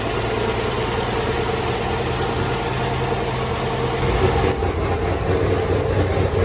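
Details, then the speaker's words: Turbocharged GMT800 Chevrolet Suburban, cammed, first start after build: steady even idle with low rumble, oil pressure up, turbo spinning, no knocking or misfire; runs quietly. "all right she cranked up a little bit all right she makes allil pressure that's a good sign she's running turbo is spinning she's pretty quiet"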